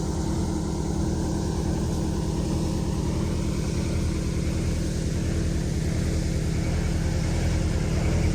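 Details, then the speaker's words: Prevost bus, Detroit Diesel 8V92TA DDEC2, full throttle, max 15 psi boost, no codes: heavy drone with steady rhythmic rise and fall; surge from sticking injector, cured by new injectors. "It's really easy to hear that surge. Watch this horrible acceleration. This will be pedal to the floor."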